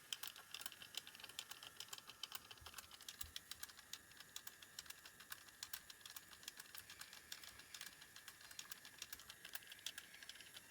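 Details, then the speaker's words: Sharp JC-K70 cassette Walkman (1988) mechanism running with dense, rapid clicking and rattling chatter caused by a cracked drive gear; audio still plays, somewhat distorted, with capstans also suspect. "Maybe I could unscrew it enough to get at the bout, if the bout's any good, but it is very noisy, isn't it? What a shame. So that was their weakness, for sure."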